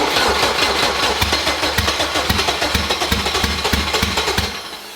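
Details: Boosted Honda K20 swap at idle, throttle body held slightly open: rough, uneven idle with lumpy beats about three a second and missing pulses; cylinder four not firing, misfire.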